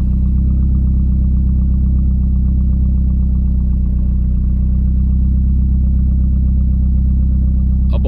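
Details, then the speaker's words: Car with almost 300,000 km, idling without exhaust: loud, open, deep bark with perfectly even pulses and no misses; engine running cleanly and fairly quiet. "selbst ohne auspuff ist ja noch ruhig und leise"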